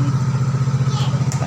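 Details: Yamaha X-Ride 125 scooter idling after replacing a blown fuse that caused sudden total shutdown: even, low putter around eight beats a second, smooth and steady; healthy idle after repair.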